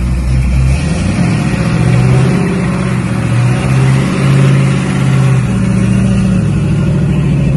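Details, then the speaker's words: Holden HQ ute with a 350 Chevy V8 swap and headers, first drive while running in the engine on the road: deep, even drone rising and easing with throttle; the earlier vibration around 80–90 km/h is gone, smoothest it has run. "the car has never run so smooth"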